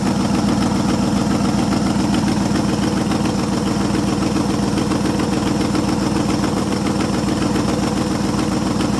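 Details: 1973 International 1210 2wd 3/4-ton, 345 V8, automatic, two-barrel carb, running after nearly two years sitting, carburetor untouched: steady, even V8 idle, smooth low rumble, no misses or knocks; normal idle.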